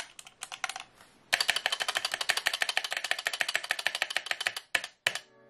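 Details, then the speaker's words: Gamakay K61 keyboard before modding: fast key clacks with bright, rattly ring on each stroke; stabilizers rattle badly, switches not factory lubed and fitted loosely on the plate. "the main problem however is the stabilizers on this keyboard which are just really bad and have a lot of rattle just take a listen"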